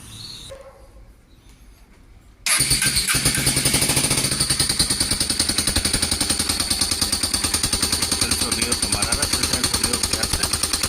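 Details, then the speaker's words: Honda Cargo single-cylinder motorcycle, noisy since a fall two or three days earlier: starts and idles with a loud, fast metallic clatter over the exhaust beat; mechanic suspects the rocker arm rollers or valve guides, to be checked by removing the valve cover. "Ese es el sonido que tiene tiene un sonido muy este muy fuerte ahorita vamos a quitar tapa de balancín y vamos a ver qué qué es lo que tiene No para mí siento yo que es los rodillos de los balancines o las guías"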